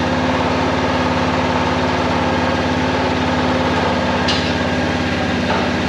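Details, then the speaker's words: Kawasaki Prairie 400 single-cylinder ATV after engine rebuild with new cylinder, first start on choke: uneven hunting idle, smoking; carburetor still acting up, owner thinks it needs a float adjustment; rough idle. "the carburetor is still acting up so I think it needs a float adjustment"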